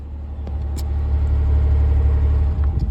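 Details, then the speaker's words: 2002 Pontiac Grand Prix GT cold start in cold weather, no alternator belt, destroyed power steering pump, low battery, exhaust still on: deep steady even idle rumble, no ticking, knocking or lifter noise; normal smooth idle. "oh look at that man look at that no lifter noise no nothing oh she purrs man oh"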